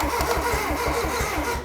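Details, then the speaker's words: Ford Sierra Cosworth body that sat 10 years, engine thought to be a 1.8, first turn-over attempt on the starter: even, rhythmic churn about ten beats a second; it turns over freely, normal cranking. "right so Loom it's turning over"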